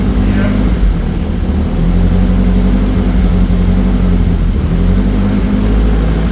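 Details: Nissan 240SX turbo project car just revived after timing work, not revved since turbo misbehaves: smooth, steady low hum, no misses, knocks or ticks; quiet even idle on its own.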